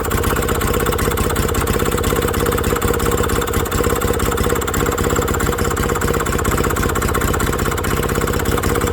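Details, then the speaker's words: Villiers WX11 single-cylinder engine now running on its own at idle after a carb rebuild, a quick thump with a slightly uneven, hunting rhythm; the top adjustment needs setting, and the timing was found 15° after TDC. "Because Villiers may have rebuilt and that hunting don't like it. So I think we've got to adjust that on the top until that runs like this with that straight up."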